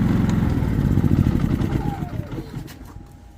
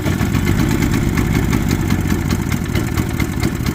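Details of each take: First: Predator 3500 generator chugging unevenly with a ragged, stumbling, sputtering beat that fades out; rough idle and hard starting caused by a clogged, carboned-up spark arrestor. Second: Predator 3500 generator that would not start, first start after repair and reassembly; even, fast-firing drone holding steady speed with no misses or surges, now running normally.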